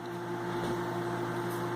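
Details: Garen G2 gate opener motor after a board repair: it had run about 3 seconds then only hummed, and the MOC3023 optocoupler IC was bypassed with a jumper to the relay feed. Now a steady, even hum with no stalling or chatter; normal running.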